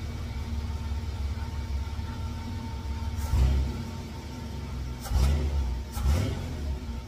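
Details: 1954 GMC COE with new spark plugs and ignition timing just set to 8 degrees: low steady rumble with three quick clean revs rising and falling smoothly; normal throttle response.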